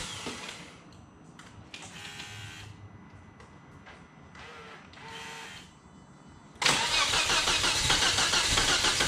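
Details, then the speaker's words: Volvo S60R, first start after engine rebuild with cylinder liner shims: a few seconds of cranking, then a loud, hissy idle with a fast puffing tick; exhaust leak noise at idle. Owner also suspects a misfire. "that sounds like an exhaust leak right there"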